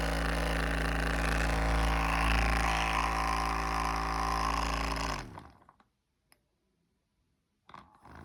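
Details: RecoverFun Mini suddenly rattling: steady fast rattle about four beats a second over a droning engine that then shuts off; source not identified.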